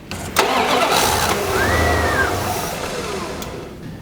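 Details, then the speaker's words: 1990 Dodge Ram Charger TBI: engine cranks, catches, runs rough a couple seconds then dies; fuel pressure 70 psi versus 12–15 psi spec. "70 PSI for a TBI unit that's four times almost the fuel pressure it should be what the hell's going on here"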